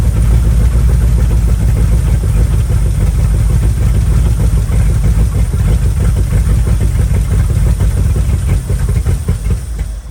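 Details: Old Ford F100 V8 just started after firing order correction (rotor believed to spin counterclockwise, had been set clockwise), on RV battery: low lumpy rumble with uneven beats fading out; runs rough, timing and carb still need setting.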